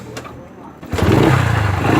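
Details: 2009 Yamaha Factor YBR single-cylinder engine: idle picks up sharply after a quiet start, with an uneven clattery edge over the beat; strange unidentified engine noise, cause unclear.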